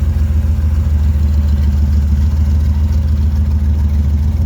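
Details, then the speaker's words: Chevelle V8 that sat for years, just restarted after fresh fuel, new spark plugs, water in the cooling system and a borrowed battery. Deep even burble, steady beat, no misses or knocks; running pretty good. Normal idle. "Yeah, running pretty good. Not mad at it."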